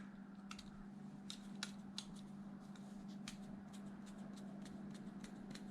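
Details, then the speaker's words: Replacement bearing for an 8-year-old Traxxas Wide-XMaxx motor, hand-spun: a faint, smooth, even hum with only handling clicks and no roughness. Normal bearing spin. "and quiet match them up perfect bearing"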